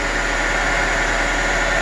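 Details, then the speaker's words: 2002 Honda Accord that suddenly wouldn't start, traced to a bad battery terminal; running with a battery terminal removed to test the alternator: smooth, steady idle, no stumbles; alternator working. "so i removed the terminal and as you can see the car is still running"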